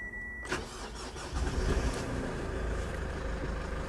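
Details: Manual, push-button-start four-wheel-drive diesel at auction with 111,000 km: a short starter whirr, then the engine catches at once and settles into a steady, even idle with no knocks or misses. Normal start.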